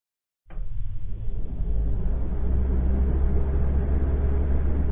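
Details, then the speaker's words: GE bottom-freezer refrigerator after frequent door openings, loading groceries or first plug-in: steady even low whir and hum of the fans running at high speed; normal. "When the doors are opened frequently, the groceries are loaded, or when the refrigerator is first plugged in, you will hear fans running at high speed. This is normal."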